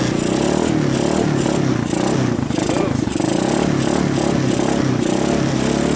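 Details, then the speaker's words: 1990 Kawasaki Bayou 220 ATV single-cylinder just after cold start on choke, carb replaced, good compression; steady even idle with a clean exhaust beat, no misses or stumbling, battery charging. Normal running. "actually sounds good oh it's even charging the battery"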